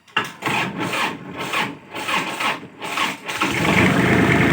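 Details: Tractor diesel that is hard to start despite a new battery cranks slowly, about two labouring turns a second, for three seconds before catching. Possible causes given are low power, a loose ground, or corroded battery terminals; the finding is a weak starter motor.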